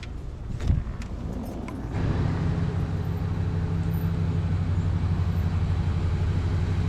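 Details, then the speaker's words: Chevy G10 van being readied for a hot rod show, started after a jump-start: settles into a steady, even low idle rumble with no knocks or ticks; oil pressure looks good, running healthy. "the oil pressure looks good everything looks good all right guys things running"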